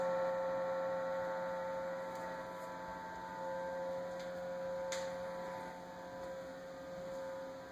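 Quiet steady hum with a thin whining tone and a few faint ticks from the fridge; the source of the noise is unknown.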